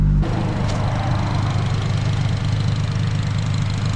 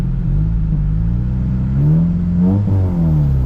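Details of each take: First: 2008 Honda Civic Si (FG2, K20Z3) after a new starter fixed its no-start breakdown: loud, deep, steady idle rumble with an even beat and no knocks, exhaust open; healthy idle. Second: 2008 Honda Civic Si (FG2, K20Z3) after breakdown repair, cooling system being bled: deep, loud, unmuffled rumble swelling with throttle blips because the exhaust is disconnected.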